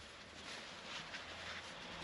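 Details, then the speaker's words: Bosch Gen 2 e-bike motor, felt seal removed and bearings greased: soft, even whirring hiss with no grinding, clicks or rumble, a quiet healthy motor compared with a noisy one. "yeah okay yeah this is what a non-noisy motor sounds like"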